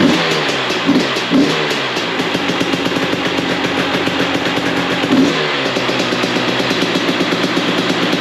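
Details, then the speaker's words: 2021 Husqvarna TX300i two-stroke (130 hours) first start after top-end rebuild with new piston kit, oil pump, billet head, ECU flash and throttle body modification with new idle screw: crackles to life, ragged busy idle with throttle blips, a bit smoky; running fine, not yet tuned. "well there you go that's a bit smokey i opened the door this time didn't want to get smoked out"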